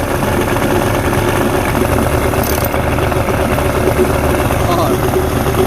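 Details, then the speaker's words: 1989 Johnson 40 HP VRO outboard that would not idle well: buzzy two-stroke idle with an uneven, lumpy beat and a little smoke, running rich; owner suspects old deposits in the carbs; rough rich idle. "okay a little smoky probably because it's got some old stuff in the carbs and everything"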